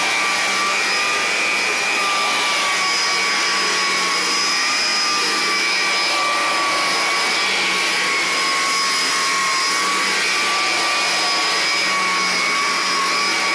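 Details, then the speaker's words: 33-year-old Electrolux Discovery 3 (1572E) upright vacuum, motor alone without brush roll, steady even high-pitched whir at constant speed, no rattles or surging; normal motor run. "This is motor alone. Listen to how well this thing runs."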